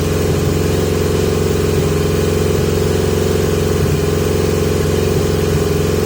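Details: 1980 Yamaha XJ650 motorcycle with pod air filters, idle improved but still erratic: steady rough idle with uneven small surges and hunting. Possibly lean, unconfirmed; airflow being restricted with masking tape over the pods.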